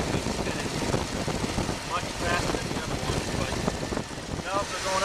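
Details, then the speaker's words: Chevy 305 V8 idling with valve issues: uneven, lopey beat with stumbles, like running on seven cylinders with one dead; cause suspected, not confirmed; misfire. "up and down and it's still running on seven cylinders so going to go ahead and close the hood pull it into the driveway and let this 305 5 come to rest for a final time"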